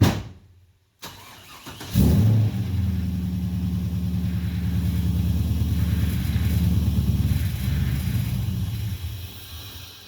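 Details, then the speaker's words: 1996 Nissan 240SX S14 drift car with LS1 V8 swap and T56 six-speed, revived after sitting abandoned, just fitted with a new mass airflow sensor: brief crank then steady, even healthy idle, no knocks. "Oh, what's that all about? Sound healthy for a minute."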